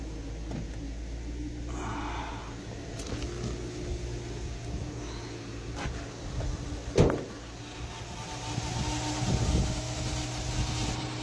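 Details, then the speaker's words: Subaru Legacy 3.6R at idle just after power steering pump replacement, with the fluid reservoir found nearly empty: a steady low whine over a quiet idle from the pump drawing air; owner expects it to fade once the bubbles bleed out. "Can you hear the power steering? [Music] I assume that will go away for not bleed itself but get like the [ __ ] bubbles out."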